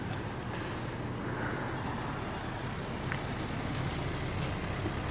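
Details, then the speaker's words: Honda Civic, D15B engine with P05 ECU, warmed up on a warm day: low, steady idle, even hum, no stumbles, knocks or smoke; it idled rough and high at start and smokes and idles badly in cold weather; owner doubts head gasket. "i started up the civic today and it was a little rough a little high but look at it now you can hear it that it's running normal"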